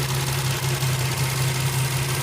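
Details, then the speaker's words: 2004 Infiniti G35 Coupe idling after cold air intake and PCV valve replacement: low even hum with faint airy hiss from a vacuum leak at the PCV hose, fixed by reseating the line and clamp. "cambié la válvula pcv pero me refiero a que de este lado escuchas algunas fugas de vacío"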